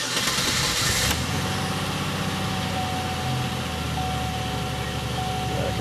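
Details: 2003 Chevy Impala with a 3.4 L V6 idling with the misfire light flashing: an uneven, lumpy beat with one cylinder missing from low compression, despite an earlier tune-up.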